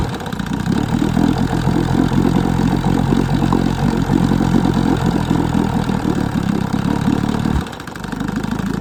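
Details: 1966 Evinrude 6hp Fisherman two-stroke outboard, once seized, just started after a coil swap: uneven, stumbling beat with occasional sneezes; lean sneeze suspected.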